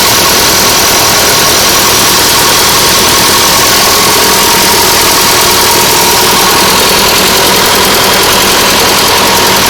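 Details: Nuffield 805 tractor diesel at idle after a full engine rebuild, first start after standing 10 years in a field. A steady, even rumble with no knocks or misses: a normal, smooth idle.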